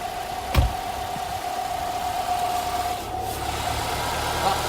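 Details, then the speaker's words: Petrol engine idling low and even right after a drive belt replacement, listened to up close at the front. No belt squeal, chirp, rattle or looseness is heard. "然后因为这个是怠速的状态，所以呢这个转速不是那么高。"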